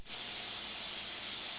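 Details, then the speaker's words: Pressure cooker making chicken bone broth; steady even high hiss of escaping steam, no sputter or rattle: normal venting. "it's just about as you can see the pressure valve has lifted up here it's just about to start bobbing"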